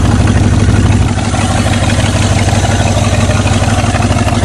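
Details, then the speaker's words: Rusty Oldsmobile 88 with 307 V8, sitting 3 years, running on 3+ year-old stale gas, belt gone: low, uneven, shaky idle loping at about two pulses a second; misfire, not running on all cylinders. "well she's got some shake like the Lincoln did you definitely not running on all the cylinders"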